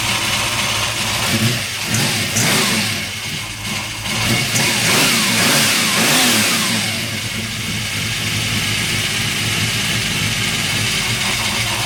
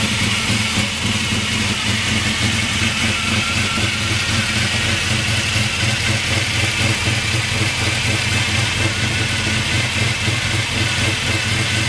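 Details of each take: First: Freshly swapped 383 stroker V8 first start after priming oil: fires up and revs hard with a loose metallic rattle over a rough idle; source not yet found, needs investigating. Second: 1998 Chevy S10 with a freshly swapped 383 stroker V8, idling with timing slightly off. A loud mechanical clatter over the steady idle is the normal noise of its gear-drive timing set.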